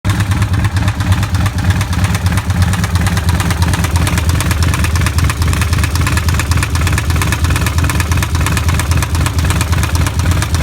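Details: 2005 Kawasaki Vulcan 1500 V-twin at idle after being ridden without oil, then overfilled with oil: heavy, loud knock from the lower engine case, about three a second.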